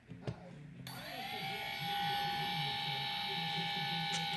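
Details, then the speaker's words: Cheerson CX-20 V2 quadcopter, one motor tested via flight-control software: thin high whine rises then holds steady and smooth, no scraping or rattle; a healthy brushless motor, quiet as it should be, unlike the dead motor 1. "It should sound like real nice and quiet."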